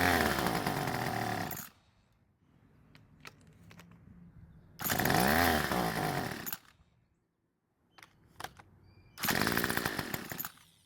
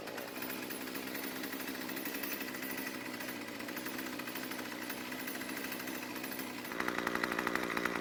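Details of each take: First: Craftsman two-stroke trimmer using its electric start option: engine buzzes in short bursts and dies when released; it runs only while the starter is used, not on pull rope, later traced to an air leak at the starter cover seal. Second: Craftsman two-stroke string trimmer after richening idle fuel (L screw a quarter turn counterclockwise) because it had stalled at idle: steady buzzy idle, then a brief rev pickup with a sharper whine. It runs cleanly and stays running.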